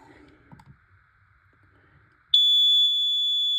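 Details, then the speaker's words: Carbon monoxide/gas detector, covered and sprayed again with smoke test spray: quiet room, then a sudden loud continuous high-pitched alarm that holds steady. Afterward its display read 250. "That way, yeah, so if you actually have your smoke spray and you see this detector, test it wit"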